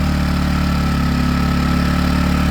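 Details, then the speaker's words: Predator 1400 watt inverter generator just pull-started with the choke on and eco throttle off, left to run before slowly turning off the choke: smooth steady drone, even beat, no surging or misfires, warming up normally. "I'll let it run for a little bit and slowly turn off the choke."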